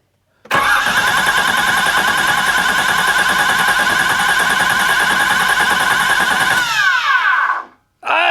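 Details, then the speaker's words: Flooded salvage 1986 Nissan 300ZX with parts stolen: starter spins the engine hard for about six seconds but it never fires. No fuel pump sound is heard and the gauge shows no fuel; crank no start. "I don't hear a fuel pump I don't either it also doesn't show that has any gas oh really has none"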